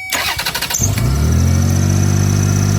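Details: 2005 Toyota Highlander after ground supplied to the starter relay: about a second of quick even cranking, then it catches cleanly to a steady smooth idle; safety neutral switch suspected as the no-crank cause.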